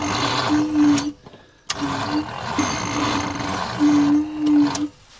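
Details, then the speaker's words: ZIL crane truck petrol engine after 20 years standing, in snowy weather, second battery connected in parallel; short strained starter whirs with pauses, turning far too slowly to start. Starter suspected faulty, or engine stiff to turn (tight by hand crank). "Но при таком вращении он не запустится. Это факт. Надо снимать стартер, наверное, делать."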